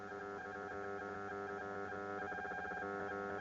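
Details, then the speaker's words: Audi A8 D3 MMI 2G with aux input powered by a 12 V to 5 V USB supply, before adding a noise filter: steady electrical hum and buzz at constant pitch; ground loop hum, gone after fitting a filter between aux and Bluetooth. "filter you can hear the noise can you hear that we need to put noise filter in"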